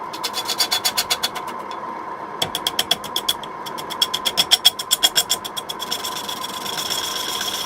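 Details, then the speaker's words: Wet quilted sycamore bowl blank on a Record wood lathe: quick rhythmic ticking while the gouge only touches the uneven lumps once per revolution, then a smooth steady hiss as the blank runs true and cuts continuously. "you can hear run when it's only uneven surface it only touches once as it goes round well as you got those lumps so he got into the smooth path we got a continuous down"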